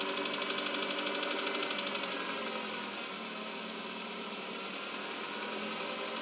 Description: кобальт 2021 года пробег стук на непрогретом двигателе .